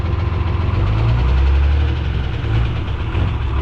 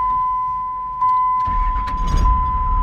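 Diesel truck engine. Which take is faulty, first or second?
first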